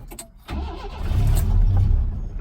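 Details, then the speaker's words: Race truck engine restarted after sitting months out of petrol: short crank, catches and settles into an uneven, lumpy low rumble that swells and dips; runs a little rough, cause unknown. "apart from it running a little bit rough there it's pretty good engine probably not a race engine"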